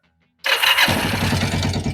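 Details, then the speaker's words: Kawasaki Vulcan 500 twin after valve adjustment and carburetor synchronization, fully reassembled: engine starts at once and settles into an even, steady idle with regular firing pulses; runs well, normal start and idle. "Bueno pues ya tenemos la moto toda montada y lista ya de válvula de sincronización de carburadores y demás ya la verdad que funciona"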